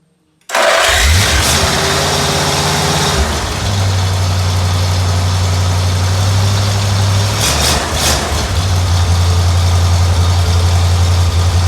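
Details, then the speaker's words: Flathead V8 after a rebuild with adjustable lifters, stock cam and crankshaft, and cylinders honed at standard bore, not started for a couple of weeks. It catches within half a second and settles into a deep, even idle: normal start-up and idle. "probably hadn't started in a couple of weeks fired right up"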